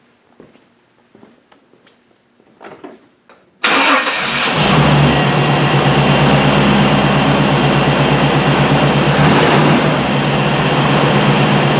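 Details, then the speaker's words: 1998 Chevy truck, previously crank-no-start with spark and 60 psi fuel pressure verified, after cleaning the dirty mass air flow sensor: engine catches at once and settles into a steady, even idle; normal start and idle. "really that's all it was a dirty mass air flow sensor I I'm actually kind of surprised by that um but she runs so well I like it when uh fixes are easy"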